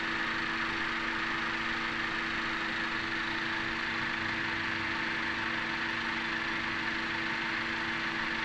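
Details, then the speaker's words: 2017 Honda Accord petrol engine idling smoothly after Gumout All-in-One fuel system cleaner treatment, with a steady hum and no knocking or pinging; the earlier knock was attributed to combustion chamber carbon deposits, now partly cleared. "this is definitely proof of the cleaning and proves that the pinging or knocking was due to the buildup of deposits"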